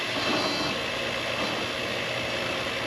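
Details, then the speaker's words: Pool pump motor that only hummed, after replacing the start capacitor: steady even whir with faint low hum, starting and running normally. "And it worked."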